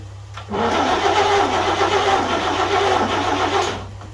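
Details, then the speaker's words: 1941 GMC one-ton pickup, 230ci straight six, first start attempt after about 20 years with the coil jumpered and choke applied. The starter turns it over evenly about three seconds with no firing. No spark despite good breaker-point contact; a bad condenser is suspected. "all right so we're not getting any spark here what's going on there we're getting good contact through the contacts through the breaker points on the distributor so i don't know if we got a bad condenser"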